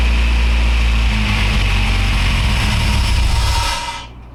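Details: Acura RSX after an injector swap, started after priming the fuel system: low, uneven, lumpy idle that stumbles and dies within about four seconds; owner suspects the new injectors, cause unconfirmed, ran better with original injectors.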